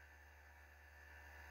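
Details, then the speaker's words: Modded PS2 77000 series model playing a PS2 disc: quiet, steady disc drive whir spinning evenly with no squeak or buzz, loads normally. "yeah I don't hear it no buzzing at all it's absolutely fine"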